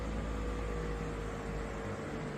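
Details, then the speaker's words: 12V 5kW Chinese diesel heater after an E-10 glow-plug fix, on a 14V supply, run 11 minutes at power 8 and 226°C then switched off: a steady airy fan rush with low hum through its normal cool-down cycle. "That's just going to cool down. So, give it 5 minutes. Just let it go through its cycle. So, that's it there. It's just going through its cooling down cycle now."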